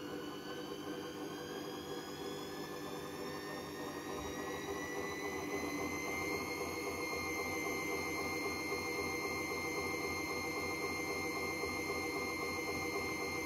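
Loud jet-like roar with whining tones that climb as the drum spins up, typical of worn drum bearings.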